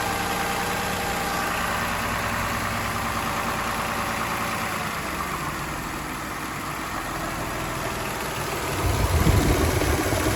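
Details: 2007 Toyota Highlander 3MZ-FE V6 petrol at idle: light, uneven rattling knock about three beats a second; owner wonders if exhaust leak.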